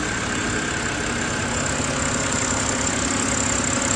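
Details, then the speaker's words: BMW E93, owner calls it M52 (title says N52), cold winter start-up: loud, fast light ticking over the idle, clearer as rpm drops. Owner unsure whether rod knock or hydraulic lifters. Engine ticking at cold idle. "I don't know why it's so loud though. Look, let the RPMs drop and you're gonna hear the ticking."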